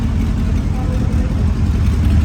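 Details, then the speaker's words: Mercedes CLS63 AMG V8 bought as a non-runner, first start after a four-month rebuild, fuel very low, engine management light on. Deep, lumpy idle with an uneven low beat. Misfire on cylinder one. "right so we finally managed to start up the clf amg and uh obviously you guys have seen that we now have a misfire on cylinder one"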